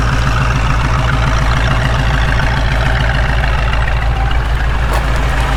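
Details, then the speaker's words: 1967 Ford Mustang carbureted V8 after carb reassembly; deep steady even idle rumble, no misses or tapping; possible vacuum leak suspected at the carb; normal idle. "See, now it's idling down. Oh, it sounds great. It really sounds good."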